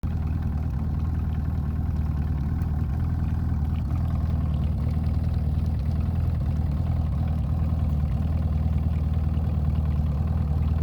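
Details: Evinrude E-TEC outboard at idle: low, throbbing note pulsing unevenly about three times a second instead of running smooth; rough idle.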